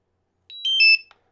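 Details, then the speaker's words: DJI Mavic Air remote controller being switched off: quick three-note chime stepping down in pitch, the normal power-off sound, not a warning. "it's just like a little reminder that your drone uh remote controller has been turned on or off off is the opposite it sounds like this"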